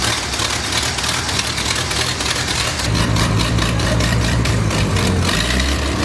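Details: Long-sitting wood chipper engine started on starter fluid, no fuel from the new pump: catches and settles into a loose, uneven, lumpy idle, running rough after long storage; a little blue smoke noted afterward.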